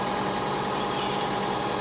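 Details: Diesel hay-mowing tractor after a dirty-fuel problem, lines bled and air purging itself, no fuel additive used this year: even, steady diesel idle with a constant hum and no misses or surging; normal idle.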